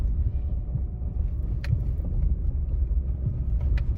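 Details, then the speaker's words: 2016 Jeep Renegade 1.8 automatic with loud passenger-side front suspension noise after hitting a pothole; after the engine-mount bolts to the frame rail were fixed, the road test on broken pavement shows only road rumble, no clunk. Suspension is now quiet. "todo o barulho que vinha naquela região próximo da coluna do amortecedor lado do passageiro parou agora não tem mais barulho ó carro está perfeito tá silencioso"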